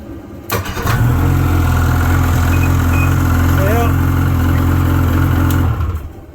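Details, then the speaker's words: Snowmobile with electric start only (no pull starter) and suspect battery, started with jump pack attached (12.1 V, rising to 12.4 V): quick crank, catches at once, steady even idle, no stumble; normal start, confirming battery is bad and needs replacing. "That's the answer. Not the answer I wanted, but that's the answer. I'm going to pull the battery back out and replace it tomorrow."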